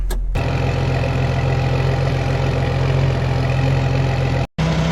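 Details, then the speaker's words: 2006 Jeep Wrangler TJ 4.0L, before a Flowmaster cat-back install; the rusted exhaust is separating and has a hole at the bottom: steady idle with an uneven puffing rasp, louder on acceleration. Exhaust leak. "you can also hear the bit of exhaust leak from there too and as soon as you accelerate you can really hear pretty good"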